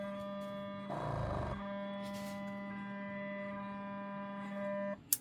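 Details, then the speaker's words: Portable airbrush compressor (rated up to 40 PSI, unfamiliar brand) with outlet shut by quick release: steady low buzzy hum running continuously without cutting out, so auto-stop isn't working. "doesn't feel any different as I'm pulling it I'm not crazy about the that it's always running"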